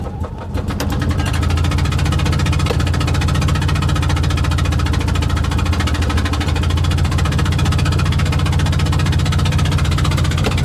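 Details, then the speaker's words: Invacar twin that spat out a spark plug on the road, limping with no tools: heavy, lumpy, low thudding with an uneven beat. Running on one cylinder. "I'm just gonna have to see if I can limp back on one cylinder at least to the top of the next hill and then maybe I can coast into town"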